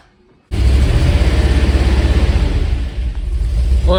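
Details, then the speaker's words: Classic Mk1 Range Rover V8 no-start, fuel pump and injectors hot-wired because the original diode pack was replaced by a standard relay: rhythmic cranking about three beats a second, then the V8 catches and settles. "so we've now got the injectors fire we've got the fuel pump running um by hot wiring instead of a diode and we've got the injectors firing by doing the same there"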